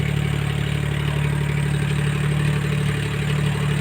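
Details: Suzuki multicab minivan idling after a Power Up combustion add-on was installed: low steady thrum with light clatter on top, no misses or knocks.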